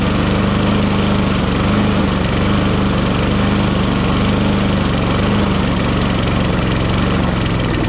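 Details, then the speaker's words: Toro Recycler 22-inch self-propelled mower, 6.5 HP Tecumseh single-cylinder, after carburetor cleaning: catches and settles into steady, even, fast patter without misses or surging; normal running. "are you amazed that this thing starts up just fine because i'm amazed"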